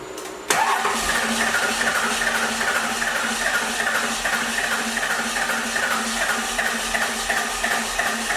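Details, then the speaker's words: First-gen 12V Cummins diesel cranking without firing: an even, rapid chuffing hiss on each stroke as compression sprays out around an injector rather than from looseness. The injector seals had been visually checked. "you can just see doing this like spraying on it here not that it's loose but like almost like compression pressure"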